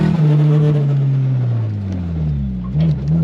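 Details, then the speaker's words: Adam LZ's Australian Nissan 180SX, engine near operating temperature, driven under load: note sags and stutters with choppy uneven pulses, breaking up and misfiring; owner suspects old spark plugs blowing out the spark, not confirmed. "I don't know if you'll be able to hear the breakup."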